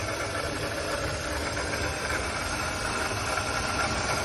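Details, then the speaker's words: Idling petrol engine, customer complaint of knocking at start-up and while driving: a loose, uneven knock traced to a failing water pump. "as you can see if you can hear it real good okay right there is the water pump"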